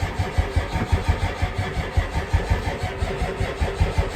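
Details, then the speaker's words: 1990 Ford F-250 7.3 IDI diesel, first start in 3 years on a cold February morning after glow plug cycling and fuel bleeding: steady cranking with even compression pulses that never fires; weak battery and air in fuel suspected. "Nope. All right, we're gonna let this battery charge overnight, get real hot, and then we're gonna do some more bleeding in the morning."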